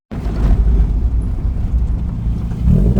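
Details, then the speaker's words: 1994 Mazda MX5 (Miata) driving with a deep, heavy exhaust drone and steady rumble, no knocks; exhaust far too loud, a better muffler/louvered resonator to be fitted. "I'll put a clip in somewhere in this video of it actually driving it's way too loud."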